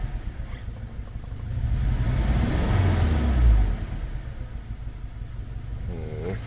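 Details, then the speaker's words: Toyota Fortuner petrol (possibly 2TR) with LPG, revving on gas: uneven, faltering climb with rough low pulsing, stumbles on both gas and petrol, no warning light; cylinder 2 not working, injector wiring chewed by rats. "ฝากระโปรงกระเฟืองไปฟังเสียงท่อครับอันนี้แก๊สนะสะดุดทั้งแก๊สทั้งน้ำมันครับ"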